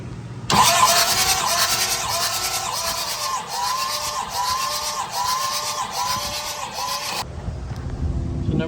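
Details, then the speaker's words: Thomas 233 HD skid steer that sat for years, cranking during a compression test (cylinder one 200 psi, cylinders two and three about 250): a steady starter whir with an even pulse about three a second and no firing. Normal cranking. "all right just did number one 200 PSI so that's I don't have to look at the book see what it is"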